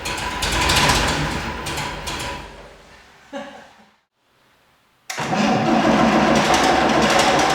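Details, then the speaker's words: Unimog 416 diesel, just rescued from scrap: runs roughly a few seconds, fades and dies, then fires again after re-priming with the hand pump. Owner suspects the lift pump isn't lifting fuel, causing fuel starvation and stalling. "But I do have a feeling that our lift pump is not quite doing its job because it seems every time we fire it up and run it for a few seconds, I have to reprime it with the hand pump and then we can go for another few seconds."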